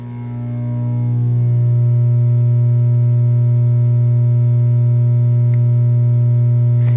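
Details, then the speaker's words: 1963 GE RC1641 tube console record player with Garrard AT6 turntable, after a new tube was fitted: loud steady 60-cycle hum swells then holds constant; the tube swap didn't help. "we still have the hum so that didn't help"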